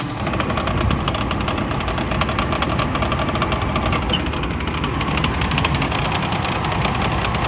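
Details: 24-year-old Chevrolet Astro camper: light rapid clatter over an even idle from the engine bay with A/C on, worse when revved; owner suspects fan belt, tensioner and idler pulley, which were replaced; source not confirmed.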